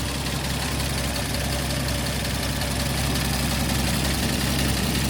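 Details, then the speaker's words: 1949 Chevy Fleetline 216 cu in six at idle after a PCV install, with the exhaust leak fixed: low rumble with faint quick ticking underneath, three or four a second. Owner suspects it needs a valve job, and possibly the water pump. "water pump also may be not happy. It's a little ticky under here, but not bad."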